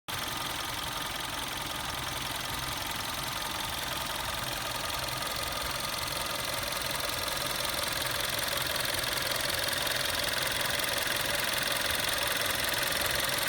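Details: 2011 VW Golf VI Style 1.4 TSI 90 kW/122 PS after replacing a water pump with a worn bearing: smooth, even idle with a light whir, no bearing growl or rattle; the noise is gone.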